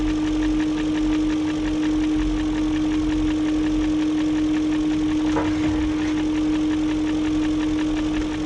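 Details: 2001 BMW E38 740i Sport steady idle: fast light even ticking on top, unchanged after second timing job with new chain, guides, tensioner, VANOS profile gaskets; no codes, idle good; owner suspects VANOS unit, not confirmed.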